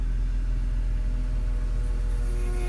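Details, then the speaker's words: 2004 BMW Z4 E85 convertible top: the pump motor was found dry with a hinge leak and the fluid was topped off. A steady low droning pump hum with a faint rising whine, noisy while bleeding a lot of air from the system. "bleeding air a lot of air a lot of noise"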